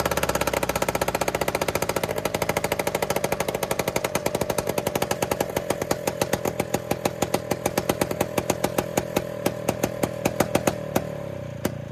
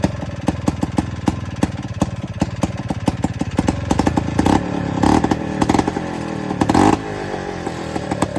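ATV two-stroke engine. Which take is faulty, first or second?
first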